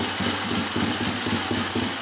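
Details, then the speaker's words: Triumph Tiger T100 twin after top-end rebuild, first start without choke, 12-volt ignition, low compression, Siamese 2-into-1 exhaust: even, steady idle beat with clean exhaust pulse, no knocks or misses; running sweetly. "It's very sweet, quite low compression, easy to start, but performance wise, yeah, very good. Sounds like a big bike. Quite manageable."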